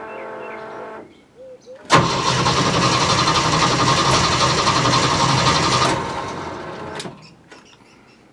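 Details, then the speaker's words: Jeep CJ-7 after cleaning and reinstalling the gas tank: starter churns steadily for about four seconds and engine never catches, because the owner's hidden anti-theft kill switch was still engaged. "okay that was my fault i did not undo my poor man's anti-theft device so let's try again"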